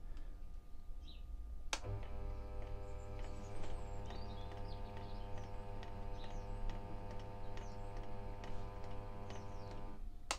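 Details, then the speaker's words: Mini lathe running a cheap 100 mm 4-jaw self-centring chuck on a back plate, steady motor hum with light clicks about twice a second; chuck pinions are quite loose. "and one thing did you hear that clicking noise when it was turning so the actual pinions they're quite loose"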